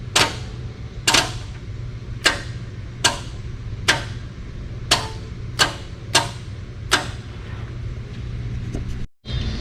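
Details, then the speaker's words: Arkansas off-road recovery tow truck, 12 V fed directly to starter solenoid wire bypassing button: sharp single clicks about once a second, eight in a row, no cranking; cause unconfirmed, possibly low battery voltage. "okay so with 12 volts going to that wire you can hear the re the solenoid doing something but the starter is still not cranking"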